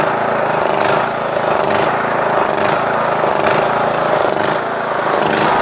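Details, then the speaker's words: Yard Machines MTD lawn tractor with a 20HP Briggs Intek engine and a replacement Nikki carburetor, started on choke, with the mixture screw broken off: the engine note rises and falls every second or two, a surging, hunting idle, probably lean. "Sometimes it surges, as you guys can see, it surges."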